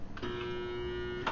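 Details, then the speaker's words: Garbage disposal switched on: only a steady low electrical hum for about a second with no spin-up; motor stalled because its worn bearing is shot, hard to turn with the tool, nothing stuck inside. "this one right here the bearing is shot and it's hard to turn back and forth usually you can break them loose and they'll start back up again"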